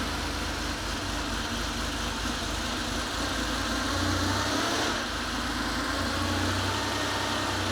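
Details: Porsche 911 Carrera 3.2L flat-six on an engine test stand, first start after sitting, DME troubleshooting: even, steady low rumble at idle with no misses, knocks or ticks; fuel pressure about 2.1, oil warming, runs smoothly and healthy.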